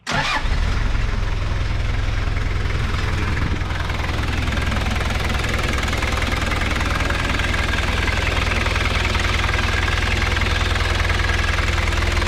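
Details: Toyota Land Cruiser BJ45 diesel, started after about 5 seconds of priming and taken out of gear: catches within a second, then a steady even clatter at idle with no knocks or misses; normal start and idle.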